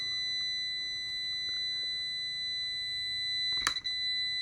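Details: Multimeter continuity beep at low decade-box resistance (about 10 ohms, leads 1.4 ohms): steady high continuous beep with a brief click as probes shift; beep threshold later found at 60 ohms.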